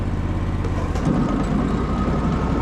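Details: 1998 Skag Turf Tiger mower with sporadic deck engagement, after fitting a new switch; steady low engine drone holds as the blades come in, taking load without bogging; deck now engages properly.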